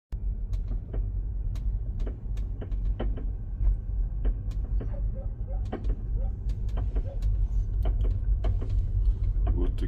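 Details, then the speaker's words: Tesla driving forward slowly on smooth road, knocks fading on acceleration and returning when slowing: irregular sharp knocks over low rolling noise; loose brake pad rattling in the caliper. "Вот что происходит с колодкой. Она и брякает по дороге всю дорогу."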